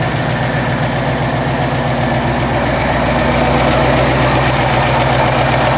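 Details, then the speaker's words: Carbureted Ford F100 truck after about 10 minutes warming with Seafoam circulating, no load: even idle pulse about four beats a second, no misfire or stumble, sounds better than before, no smoke; normal warm idle. "Well, it's not under a load, and it sounds a lot better than it did. and still no smoke, so we're"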